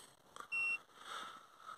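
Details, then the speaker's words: Citroen C4 diesel, cabin, ignition on after refilling the particulate filter additive (Eolys) fluid: a single sharp high beep, about a quarter second, over quiet; dashboard chime with DPF warning and risk of particle filter clogging message. "just had a message on there uh something about an engine fault there you go"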